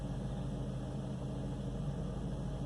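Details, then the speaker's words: 2002 Ford Focus 2.0L Zetec, previously rough idle with rpm dips when warm, after cleaning a dirty throttle body: warm engine now holds a steady, even low hum with no dips or hunting, idling smoothly. "if I'm gonna let it run for a while anyway and once she's warm we'll see how the idol is warmed up and it seems to be idling nicely"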